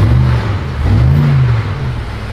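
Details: 2019 BMW M5 Competition, accident-damaged rebuild, running on jump cables to a new battery: deep, even note climbs and settles through a short rev, no ticking or tapping; sounds healthy, normal revving.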